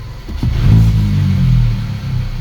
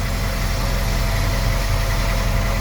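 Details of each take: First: VW Polo R Line 1.2 TSI petrol after new plugs and air filter; when the clutch is pressed to select gear, revs climb high and hang before dropping. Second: VW Polo R Line 1.2 TSI petrol idling after timing chain, spark plug and air filter replacement, no dashboard warning lights; low, even idle with steady beat and no misses, running smoothly.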